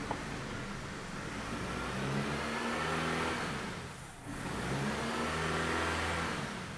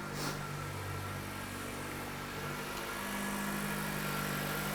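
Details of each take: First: 2007 Dodge Caliber that runs badly despite two new PCMs, intake tube off: engine vibrates heavily, revving up and falling back in slow surges with no throttle control. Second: 2007 Dodge Caliber 2.0L non-turbo four-cylinder, severe drivability/no throttle control complaint, after installing new throttle body: steady, even idle hum with constant low note, no stumbles; sounds better, normal idle.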